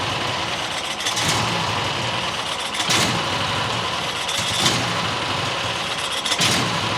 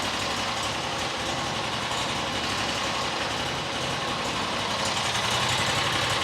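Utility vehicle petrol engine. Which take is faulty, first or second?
first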